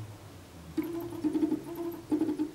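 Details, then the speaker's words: Pololu stepper drivers on a PolargraphSD machine; driver B's motors energize with a buzzy, crunchy mid-pitch hum that surges in bursts and reverberates off the desk. Driver current is set too high and needs tuning by ear. "and then this is B you can hear that it's quite noisy"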